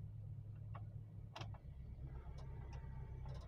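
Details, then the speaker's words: Toyota Kijang Kapsul SSX 1.8 EFI, 2001, idling with the AC on. Smooth even low hum with a steady beat and a few light clicks; it started straight away and runs healthy and smooth. "Nah jadi distarter langsung nyala mesinnya mesinnya sehat suaranya halus"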